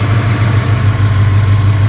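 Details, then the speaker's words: 2000 Ford Explorer 5.0 V8 with Meziere WP374 electric water pump after idler pulley bearing replacement, which previously screeched: steady, even low idle hum with no squeal or chirp; remaining faint noise is general car noise, not the pump. "Yeah, I hear a little bit of noise, but it's not from the water pump. Sounds like it's just coming from, you know, the rest of the car, just generic sound."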